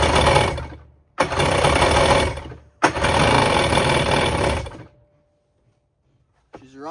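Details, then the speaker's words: 1994 Kawasaki 550SX stand-up jet ski, said to be freshly rebuilt, on premix with oil in the cylinders: catches and runs in ragged, stumbling bursts, dying, smoking heavily; owner suspects a popped water box leaking water. "but she's running real weird. Based on that clip you guys saw, this thing was belching a lot of smoke,"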